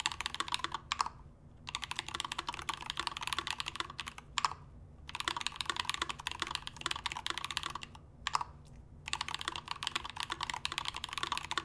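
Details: Typing test on a Melody65 prototype keyboard with a brass plate, Gateron BoB keycaps, Glorious Panda switches lubed with Tribosys 3203 (legs lubed for leaf ticking), lubed Durock stabilizers: fast, steady typing with soft muted clacks, no ticking or rattle.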